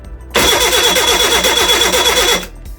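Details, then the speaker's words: Reliant Regal Supervan 3 engine on the workbench, replacement starter motor fed by a proper battery lead: brisk, even two-second spin with steady fast rhythm and no labouring; engine turns over freely, not too tight. "that proves that my engine's not too tight thank goodness for that because I thought it was my engine it was going to be no good for a minute"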